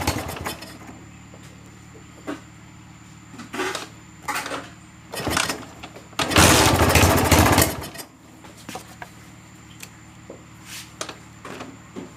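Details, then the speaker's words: Honda GL Max single-cylinder motorcycle after replacing the timing (cam) chain. It had been very noisy and long unused. It idles with a steady, even low beat and no chain rattle between revs: normal healthy running. "Dan inilah suaranya setelah kami mengganti rantai timing,"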